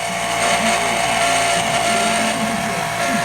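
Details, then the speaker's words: Older Hoshizaki KM630MRE ice machine (R22) in a restaurant: a harsh, steady grinding whir with a raspy high edge over the machine's hum, loud enough to hear in the dining room, from a worn water pump bearing. "that noise will drive you nuts manager made a good point in the restaurant over there I'm going to go get grab a water pump at The Parts House for that thing"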